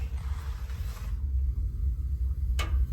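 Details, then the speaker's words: Newer-style natural gas water heater after relighting the pilot and turning the control to on: steady low, soft roar of the main burner with a single click partway; burner lit and running normally. "And again, we're going to rotate, and you can hear it, the flame going."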